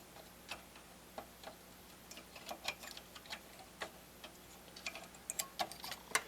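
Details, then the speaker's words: Harman Kardon HK3270 stereo receiver under repair: irregular sharp popping and clicking over a quiet hum, suspected to come from faulty transistors to be checked by heating them. "but it is making popping and noising popping clicking noises"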